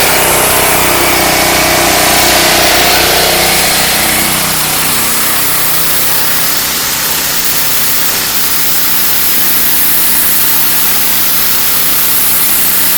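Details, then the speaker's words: Excell EXH2425 pressure washer with Devilbiss pump after repair for low pressure: steady high-pitched engine drone, fast even pump pulse about 200 per minute and water hiss, wand kicking like a fire hose; normal running. "you really know if the the wand and the trigger mechanism everything is working because if you start it up and it starts to fly around you know you got pressure but sits there and sprays not working so it wants to kind of take off like a fire hose now"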